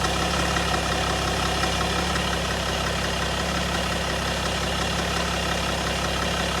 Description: M57D30 2008 525d lci e60/61 Timing chain noise